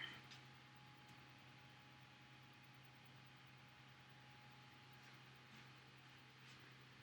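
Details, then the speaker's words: Wanhao 4DS 3D printer after replacing the extruder motor cables: a quiet, steady low hum with a thin higher tone and no clicks or skipping as filament feeds through; the extruder now extrudes normally. "It's working! Yes! Yes, yes, yes, yes, yes!"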